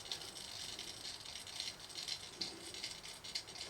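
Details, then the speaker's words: Garrard SP25 Mk4 turntable motor: faint light ticking rattle about twice a second, caused by a part that came unglued from the bottom of the motor; to be reglued. "Got a noise there as well. That's our motor needs sorting. So, we need to find the glue. That's the thing that's come off the bottom of the motor causing that."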